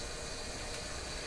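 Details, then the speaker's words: Sparton 1567 tube radio tuned to 680, running at reduced 100 V: even, continuous crackling frying hiss from the speaker; owner suspects tube elements vibrating, distortion source not yet confirmed. "so this is 680 you can hear that frying sound the game did you know it sounds like it sounds to me like the elements in a tube are vibrating"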